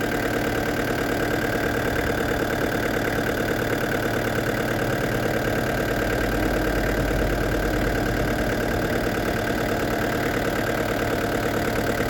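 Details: Restored diesel camper van with a new radiator, idling after a road test at up to 80 km/h. Steady, even clatter with no misses, knocks or surges. A slight diesel seep is seen at the pump; owner suspects another seal is leaking.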